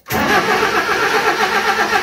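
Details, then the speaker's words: Mazda B1800 carburettor pickup after 12 months parked, 20 L fresh petrol added: starter churns at a steady, even cranking rhythm but the engine never catches; cranks, no start. "I literally put in 20 L of fuel and it will not start"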